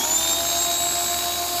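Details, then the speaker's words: Ryobi 2000 PSI electric pressure washer run with the sprayer handle removed: steady high motor whine with constant water hiss, pressure normal; pump and hose are fine, so the fault lies in the handle. "There's the pressure. That's just regular water pressure. So we know everything's good from here, through the pump, out the pump, to the hose."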